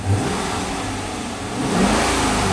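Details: 2011 Dodge Charger R/T, first start after repair with tank nearly empty: engine revs to a rising roar and drops back, slightly ragged at first but pulling cleanly; runs fine.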